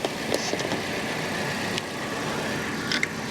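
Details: 2016 Toyota Camry salvage-auction car, idling on the lot with the alternator charging well: a quiet, even idle with only a few handling clicks on top and no knock, miss or whine, so the engine sounds healthy.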